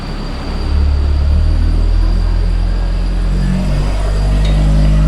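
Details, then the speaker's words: Toyota AE86 with Blacktop 4A-GE 20-valve engine on Haltech Elite 550, on the dyno making 160 at 7,500 and 11,000 rpm: deep steady roar climbing smoothly to 11,000 rpm with no stumbles or rattles; normal revving. "It Makes- just keeps revving. 160 at 7,500 and 160 at 11,000. Just screams a little louder at Yes. 11,000."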